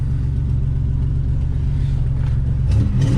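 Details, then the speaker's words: 1987 Buick Regal T-Type with turbocharged V6, automatic and aftermarket exhaust, just started: a deep, uneven exhaust rumble with a puffing pulse from a pretty significant exhaust leak, noticed earlier while driving. "Has an exhaust leak. That's the first thing I noticed driving it earlier. You can really hear it's got a pretty significant exhaust"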